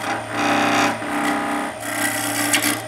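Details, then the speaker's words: Skew chisel starting a bead on a wood lathe, lifted too far: the even cutting rasp breaks off abruptly twice as the short corner grabs and runs back into a spiral. A catch. "and it grabs the short corner and rubs it back into a spiral."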